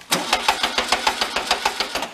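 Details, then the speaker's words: 1973 Karmann Ghia barn find, air-cooled, spun over: sharp metallic clanks about six per second, roughly twice per rotation, with tapping felt through the distributor. Owner wonders if it is the point gap on the cam; source unconfirmed. "you can hear the clank and the knock in it. And it seems like it's doing it twice a rotation."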